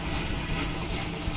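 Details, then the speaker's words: Microwave oven after repair of its noisy fan motor: even, steady fan and transformer hum with no rattle, scrape or buzz; running smoothly and heating properly. "यहां तक बिल्कुल ठीक है और यह heading भी अच्छे से निकाल रहा है"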